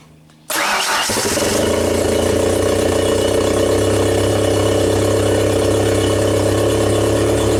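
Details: 1992 Genie boom lift engine, after wiring repair for its start-run-stall fault on platform controls, test-started: cranks, catches within a second and holds a steady, even drone with no stumbling or dying off; normal running.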